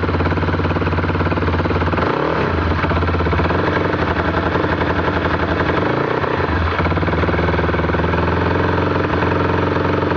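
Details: Can-Am DS 450 single-cylinder at idle with a busy, uneven clatter riding on the firing beat; abnormal engine noise, cause unclear.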